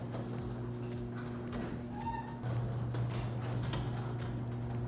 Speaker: This is my grandma's garage door. And if you listen carefully, you can hear that it's very squeaky and noisy.